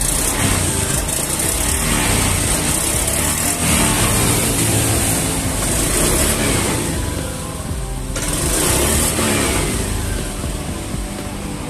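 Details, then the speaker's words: Honda Beat ESP scooter with code 52 (crankshaft position sensor), running but stuttering: uneven, jerky, hesitant pull as the throttle is blipped repeatedly. Cause is a chafed wire shorting the crank sensor circuit. "Nah ini teman-teman bisa terdengar suaranya ya kita gas lagi kita ulang lagi kita gas lagi teman-teman terasa nyendat-nyendat berebet-brebet"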